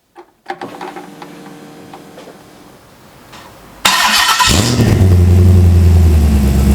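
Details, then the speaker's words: Ultima RS kit car with newly built 6.2 L LS3 V8, restart indoors, cold with thermostat not yet open; starter spins about three seconds, then engine catches and settles into a strong, even, fast cold idle: normal cold start and idle. "I'm just checking if the Water started to circulate I doubt if it has because no because the thermostat hasn't opened I really need to get up to temperature now"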